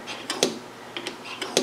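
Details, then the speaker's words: Triumph Spitfire HS2 SU carburettors after jet centring: a few crisp, light metallic clicks as the lifted piston drops and seats; jet centred, piston falls freely, as it should. "So I've got both of these jet centered. You can just hear that little metallic click. That's what you want."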